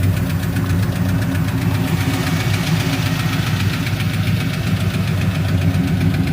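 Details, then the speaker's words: 1964 Ford Fairlane V8 at idle after about a 60-mile drive: deep steady rumble with a light, quick lifter tick still present on top. "we drove it uh probably about 60 mies and you can hear the lifter still ticking"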